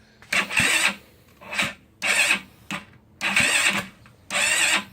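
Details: GY6 scooter engine, first start after top-end reassembly with oil refilled and charger connected: short starter cranking bursts, engine spins but won't fire and starter stops on its own; owner suspects cam chain too tight.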